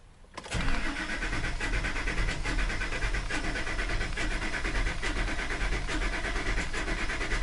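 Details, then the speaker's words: Ford F350 engine cranking during a relative compression test (key on, wide-open throttle, in neutral): uneven beat with a quick surge about once per engine turn; cylinder two has no compression, while the injectors tested okay. "you can hear the sound that was making it was a today did it did it did it in other words there was one cylinders not giving a compression so that just spins faster during that time and we can tell definitely tell what the problem area is number two"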